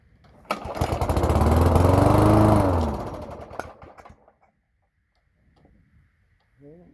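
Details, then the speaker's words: Toro lawn mower with a 3.5 hp Briggs & Stratton engine, cold December morning after priming: it fires and runs about three seconds, then fades and dies. Owner suspects it isn't picking up fuel and the carburetor needs a rebuild. "starts and dies starting and then it die I wonder if it's not I'm picking up fuel I wonder if this carburetor needs to be rebuilt"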